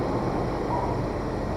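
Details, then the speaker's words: 2003 GMC Sonoma after thermostat replacement for check engine light (OBD2 scan showed faulty thermostat): smooth even low idle rumble, no misses, knocks or ticks; warms up quicker, runs normally, no overheating or overcooling. "so yeah there you go everything works as it should haven't had any problems"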